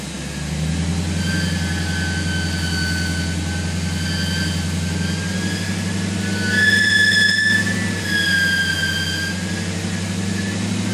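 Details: BMW E39 (1997-2003 540i/530i/528i) at idle: a high wavering whistle-squeal from a dry pulley bearing on the alternator or power steering pump. Spraying WD-40/lubricant on the bearing stopped it.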